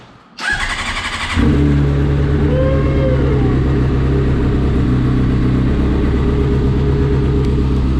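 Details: Salvage 2015 Honda CBR 600RR, 8,831 miles, first start after plugging in tip-over sensor and priming fuel pump; starter spins briefly, engine catches and settles into steady even idle with no knocks or misses.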